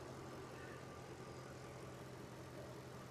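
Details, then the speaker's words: Jeep WJ Grand Cherokee 4.7 V8 idling after a shorter serpentine belt was fitted because of a worn AC compressor pulley bearing; charging and temperature are fine. Smooth, even low idle with no squeal or chirp. Normal idle. "So everything's working as it should. We just haven't got the horrific squealing."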